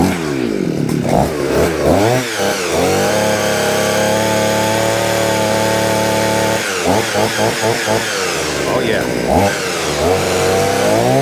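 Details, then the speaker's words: Vevor 6-in-1 multi-tool two-stroke with hedge trimmer attachment, after freeing stuck blades and greasing: revs up, holds steady high buzz, drops and revs again smoothly; working fine. "This is going to complete my video. So, far everything is working."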